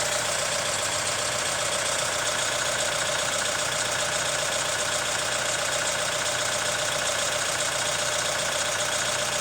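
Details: Hyundai ix35 CRDi 136 hp diesel, engine hot at idle: a steady tapping knock of about 2.5 per second over the diesel clatter, also present cold. The owner suspects the hydraulic lifters or the timing chain tensioner; source unconfirmed.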